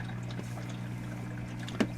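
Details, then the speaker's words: Homemade workshop heater, second circulation pump, purging air before the heating element is switched on: a low, steady hum with a faint coolant trickle and no rattle or grind. Normal pump running. "sounds like that'll be working okay let that one purge a little bit and then I will apply the heating element"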